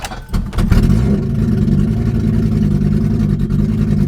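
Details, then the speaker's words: BMW E30 with hard-starting and flooding trouble: catches after a short crank, skips unevenly at first, then smooths into a steadier idle as it clears; worst start yet, cause unknown. "Got a little bit of skip to it right now, but it smooths out. Actually, this is the worst it's ever started."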